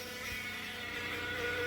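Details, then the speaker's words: Chrysler 200 towed in with a transmission complaint, engine running: high thin hummingbird-like whine rising slightly; transmission whine, cause unclear. "oh alrighty sound like a hummingbird ladies and gentlemen that is a transmission wine okay"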